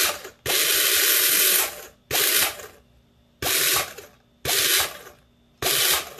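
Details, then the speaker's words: Airsoft Ver3 gearbox with helical gears during shimming; after adjusting to stop the spur gear hitting the bushing, five short smooth whirring bursts spin up and stop cleanly without scraping or grinding. "back sounds good"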